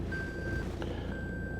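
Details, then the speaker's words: Toyota Hilux N80 Revo in four-wheel-drive high, switching to low: two steady high-pitched half-second beeps with the 4WD low light flashing, warning it won't engage low until the transmission is shifted to neutral. "so now if i want to switch it to low i don't know if you can hear that beep but the full low fl light is flashing so it's telling you i'm trying to do my job but you have to do your job first before we can go into full load"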